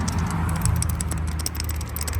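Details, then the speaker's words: Worn idler and tensioner pulleys, removed with the serpentine belt after valve cover replacement, turned by hand give a fast, uneven clicking rattle; both bearings rattle, one with the most back-and-forth play; both were replaced. "If you can hear it rattling, that's not good. Both of these are rattling. This one had the most play in it, like back and forth."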